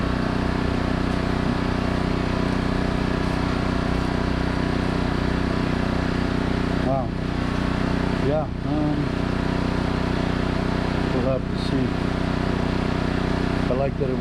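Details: New 2200 W generator with oil and temperature safety running a 5000 BTU air conditioner in 38–40 °C heat, first test after unboxing: steady, even drone with a low constant hum, no knocks or surging. Healthy running under load.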